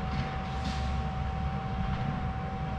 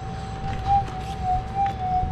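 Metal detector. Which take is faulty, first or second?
second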